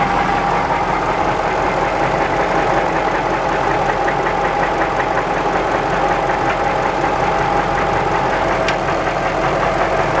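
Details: Jaguar XJ8 petrol V8 at idle: loud, rapid, clattery knock that makes it sound almost like a diesel; extreme rod knock suspected, not confirmed.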